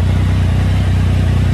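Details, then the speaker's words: Triumph Tiger 1050 triple after balancing the throttle bodies with Tune ECU, engine warmed up, new stator and voltage regulator: even steady low burble, no hunting or misses; smooth stable idle at 1390 rpm. "so that's what you want to see the RPM is beautiful 1390"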